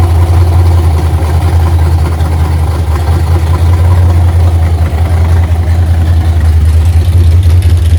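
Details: 1982 Holden WB ute, 355 stroker V8 with 280 solid flat-tappet cam, first run after six-year build, timing about 10°, no vacuum advance hooked up, warming up: deep, uneven loping idle about 2.5 beats per second, otherwise running fine; lumpy cammed idle.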